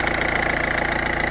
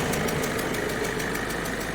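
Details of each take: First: Peugeot 207 1.5 HDi diesel idling after replacing a leaking injector seal, air filter refitted; steady even idle with regular firing beat and the former characteristic ticking/hissing gone; normal idle after repair. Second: Peugeot 207 1.5 HDi diesel at idle, recorded at the engine with the air filter moved aside: sharp, even ticking about two and a half per second over the idle, the chuffing of a leaking injector seal.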